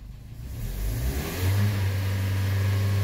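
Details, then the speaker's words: 2013 Hyundai with check engine light, crankshaft sensor code (half the sensor not reading) and startup misfire; engine revs briefly then flattens into a low drone at wide-open throttle, unable to rev higher: rev limited at full throttle. "limited throttle wide open that's it"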